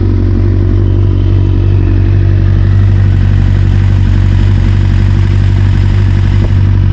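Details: 1992 Kawasaki ZXR400 L2 four-cylinder, sat for years, on a drip feed tank: steady even idle, smooth low hum, no stumbles, misses or popping; carburetion balanced, runs perfectly.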